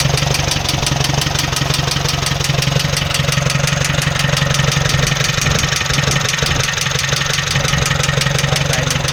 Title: 4n15 strada engine knocking sound problem